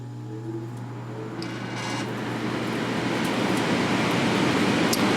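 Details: Philco Noiseless air conditioner, possibly early 1960s, rewired, fan on low speed: soft steady low hum with even airflow rush building gently, no rattle or scrape; fan motor running smoothly.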